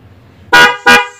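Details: Toyota Agya 1.2 with new Denso dual-tone snail horns and relay set replacing the weak stock single disc horn: two short loud blasts, each a full bright two-note chord cutting off cleanly; horn sounds strong and healthy.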